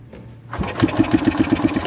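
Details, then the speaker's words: 1983 EZGO two-stroke golf cart, fuel pump test with fuel poured into its inlet side: quiet, then quick even chugs as it turns over and fires; fuel pump working, cranking normal. "i thought i better check this fuel pump and all i've done is pour a little fuel to the inlet side of it let's give it a little power"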